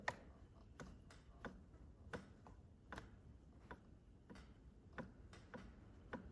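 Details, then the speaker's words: KTM 530 EXC-R being diagnosed for a bad knock: sharp metallic clicks as the connecting rod is rocked by hand. The lower rod bearing is shedding brass and has up-and-down and side play, and the cylinder is chewed up and needs replating. "there's just starting to be See up and down play in the connecting rod that"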